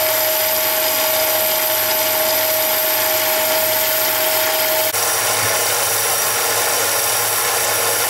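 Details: Mini lathe turning brass rod with a high-speed steel insert: steady high motor whine and even cutting hiss, no chatter or knocking, pitch dropping cleanly partway; cutting normally with a nice finish.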